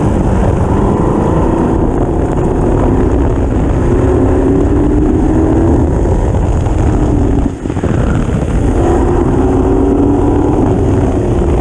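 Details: Lotus 38 replica at autocross, loud race engine rising and falling through the gears, running rough and misfiring at full throttle; faulty ignition module and/or coil suspected.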